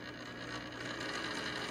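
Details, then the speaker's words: Model train B-unit locomotive bought at a train show, on its test run: a thin, rough whirring drone from the small motor, louder than a smooth drive should be, rising as it approaches. Noisy drive. "was so noisy but I didn't buy this as a powered local although I might use it for fun"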